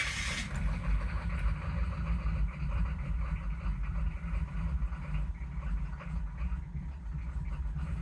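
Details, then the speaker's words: Chevy/GMC 6.5 turbo diesel, cold start after glow plug wait: low, uneven chug surging and sagging as it struggles to run; blamed on the pump-mounted driver (PMD), runs smooth after shutoff and restart. "you can hear the truck struggling to run so now if we shut the truck off and this seems to be the process with this PMD"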